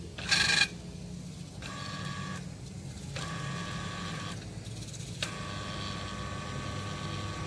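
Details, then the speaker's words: Denpoo twin-tub washing machine wash motor after repair for seizure, tested turning: steady low hum with a few beeps; some noise only because mounting bolts are not yet tightened; motor turns freely. "Oke mantap, muter ya teman-teman, bunyi karena belum rapat bautnya."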